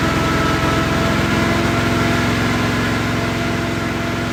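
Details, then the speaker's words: Off-road wrecker engine, cold engine on stopgap exhaust, no load, held at raised rpm during first warm-up; steady even drone with regular firing beat, no misses or knocks; headers reading 400–500, all cylinders firing; normal running. "I'm gonna hold it at a higher RPM to see if that changes."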